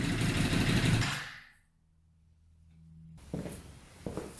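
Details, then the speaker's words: Custom Yamaha Banshee with 600cc sport bike engine swap, not run in a while, no tank fitted, choke on after freeing a leaking carburetor float: runs briefly at a busy rev, then fades and dies within a second or two; stalling from fuel starvation. "Obviously, it would help if we had a consistent gas flow going into it, because it just runs out of gas instantly."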